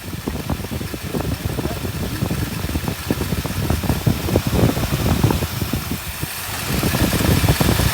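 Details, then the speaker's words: 1959 Buick V8 running nicely after a crank-no-start with weak spark, with aftermarket toggle switches apparently wired to two ignition coils: steady, even idle with soft low burble, no misses or knocks. Normal idle. "Yeah, interesting. She's running nice now."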